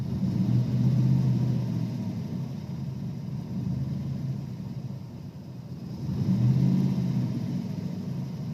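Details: 1992 Ford Ranger with 302 EFI V8 at idle: low uneven rumble swelling and sagging every few seconds; rough idle, also hesitates and chugs under throttle, cause unknown.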